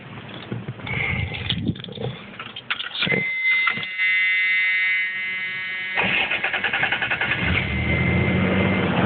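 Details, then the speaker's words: 1989 Dodge truck, original 125 hp 3.9 (non-Magnum) with a replaced water pump, cranks unevenly for several seconds, then catches and settles into a steady, even idle; healthy start. "but as you can see she idles pretty damn well she idles pretty well yes"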